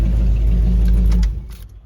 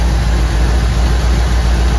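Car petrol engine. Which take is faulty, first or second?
second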